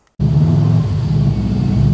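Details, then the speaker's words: Subaru WRX bought broken, radiator found empty with cap missing, fuel possibly stale, earlier stalling suspected electrical: engine chugs, fires and holds a strong, steady, even idle with no misfire, smoke or radiator bubbles; normal running. "So, well, it's idling on its own and it sounds good. So, it's idling on its own."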